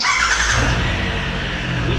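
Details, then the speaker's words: 2016 Triumph Tiger 1200 Explorer, idling before repair, brought in for a clutch basket complaint. A rough, gritty whirring sits over the firing, like a gear or blown bearing. The source is not confirmed. "V escutar que tem um barulho diferente aí um barulho de como se fosse alguma engrenagem um rolamento estourado"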